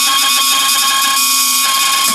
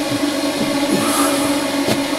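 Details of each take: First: Range hood extractor fan in a pre-2000 Laika Ecovip 200 I motorhome: loud steady whirring drone with shrill ringing tones and no change in speed; impeller has come loose and spins freely on its shaft. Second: Range hood fan on a Laika Ecovip 200 i motorhome after repair: steady, even hum at one constant pitch, no rubbing, scraping or rattle; running normally.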